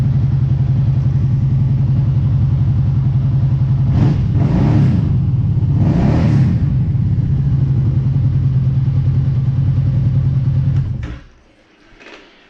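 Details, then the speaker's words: Kawasaki Brute Force ATV idling after cleaned spark arrestor reinstalled: steady, even low rumble with brief throttle blips then shutoff, sounding about the same as without the arrestor, normal idle. "I don't know if it's a big difference it all sounds pretty much the same"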